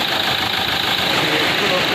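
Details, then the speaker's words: Renault Duster 110 PS diesel after injector fix via software programming/return-flow check: steady, even idle with smooth hum, no tak-tak knocking left; normal idle. "बिल्कुल सही sound है इस गाड़ी हो गई है आवाज नहीं ए रहा है गाड़ी स्टार्ट है"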